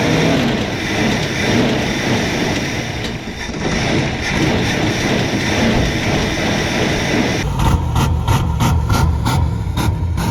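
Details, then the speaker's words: 1966 Plymouth Fury III 318 V8 revived after 25 years sitting, first run on an electric fuel pump. Engine roars at steady high speed without dropping back to idle; throttle hangs open, lacking a return spring. "why in the world is still open like that oh it doesn't sound very good it sounds real good how's loafing like that"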